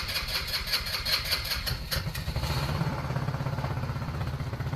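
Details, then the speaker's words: New Trailmaster Challenger 200 EFI fuel-injected UTV, first start: settles from cranking into a steady even idle with low regular pulse, no knocks; runs okay with a funny new-vehicle smell; normal idle. "It just smells funny, but it runs okay. Maybe that new vehicle smell that's burning off."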